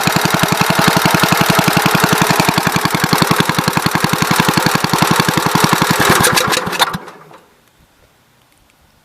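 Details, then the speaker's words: 1970 Gravely Commercial 8 single-cylinder after years sitting, carburetor float fixed: even steady thumping about ten beats a second, no misses, then clean shutdown; slight wetness remains but no longer pouring fuel. "seems a lot better i see there's a little bit of wetness here but it's a whole lot better than gas just pouring out of this thing like it was so see how it goes"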